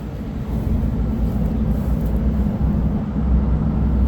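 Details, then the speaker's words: 2012 Freightliner M2 forestry bucket truck, Cummins 6.7L turbo diesel, idling: a deep rushing roar builds over a few seconds as the engine cooling fan kicks on, showing the cooling is working normally. "You can hear there, the fan of the truck just turned on. As you can see, the cooling of the motor is functioning."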